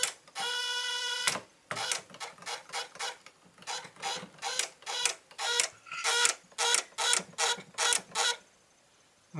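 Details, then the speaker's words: Rebuilt 20 hp Briggs & Stratton lawn tractor engine: sharp uneven clicking bursts, about fifty a minute, with no cranking at all because the PTO switch was engaged. Starter clicking, no crank. "oh the uh PTO switch was engaged cuz I just heard the clutch kick on"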